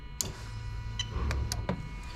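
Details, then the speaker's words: 1998-2000 Lexus LS400 1UZ-FE VVT-i engine on a standalone adapted harness, fuel pump run via active test after the relay clicks; faint steady electric hum under light clicks in a quiet room; normal fuel pump operation. "And you can probably hear the fuel pump working there. There you go, fantastic."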